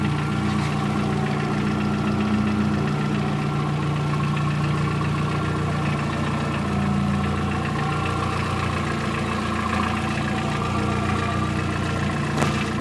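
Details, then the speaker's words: VW Gol 1.0 8v, 120 on the odometer, mineral 20W50 oil, hot idle after 10–15 min: uneven wandering loose knock, quiet when cold, gone with a touch of throttle; owner suspects piston pin/skirt after possible overheating. "Parece que tem algo solto. Barulho varia de acordo com a temperatura. Quanto mais quente, mais barulho ele faz."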